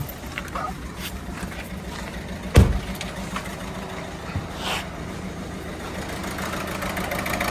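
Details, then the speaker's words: Peugeot diesel on a cold, wet day with the engine warning light on, idling rough and uneven; codes P0266 and P12A5 point to the cylinder 2 injector under-delivering or poor compression, likely needing injector replacement. "Um started up and sounds I don't know if you can hear that. Looks like it's misfiring."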